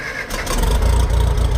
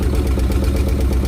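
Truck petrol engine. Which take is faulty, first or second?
second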